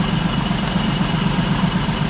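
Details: 2005 Ford Escape 3.0L V6 idling very rough with an uneven, lumpy misfire; no misfire codes stored; misfire traced to the rear cylinder head under the intake manifold, coils swapped to isolate it.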